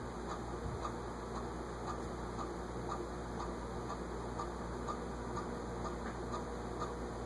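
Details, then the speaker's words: SMC A52 vintage ceiling fan on medium drawing 0.73 A, tested before oiling; steady hum with sharp clock-like tick about twice a second, a suspected bearing noise. "It's got a little bearing noise there. Well, sounds like a clock ticking."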